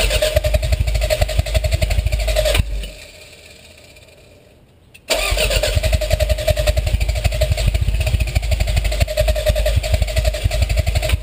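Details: Toyota MR2 turbo: steady fast starter whirring with even compression pulses, about four a second, a pause, then more cranking; it never catches or fires: crank no start.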